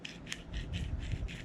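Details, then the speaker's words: 2020 Polaris RZR Pro XP stock OEM front wheel bearing, removed and turned by hand: dry gritty crunching and rasping from dust and dirt inside; linked to front-end popping, replaced with sealed aftermarket bearings. "listen to that it's just crunching there's so much dust dirt"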